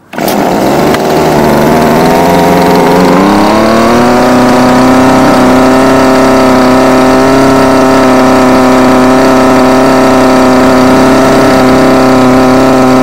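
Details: Homelite UT20042A string trimmer with new C1U-H60 carburettor, wouldn't idle: buzzy two-stroke climbs in pitch as low/high mixture screws are turned at held throttle, then holds steady high speed.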